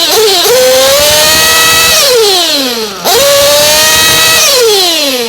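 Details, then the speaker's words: Race engine on VP Power Master fuel, top-end tuning, leaned a little each time and revved between adjustments: repeated high-pitched revs, tone a touch dull, not snapping clean at the top, not yet snappy enough; slightly rich mixture. "But that's not yet to my liking. I want it a little bit snappier. So I'll bump it a little bit more."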